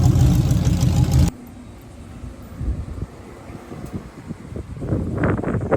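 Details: '66 Chevelle with open headers, just back on the road after work: loud rev cuts off, then uneven pops and thumps at low speed, acting like it's detonating or missing; it drove fine earlier, cause not confirmed.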